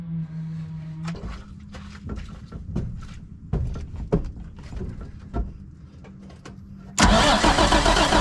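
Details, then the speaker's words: International 4900 diesel bucket truck that sat for 5 years: starter whirs with uneven compression pulses, about three or four a second, then a loud burst while air is bled from the fuel system. "all right we have to try to bleed this but i'm by myself so how can we do this"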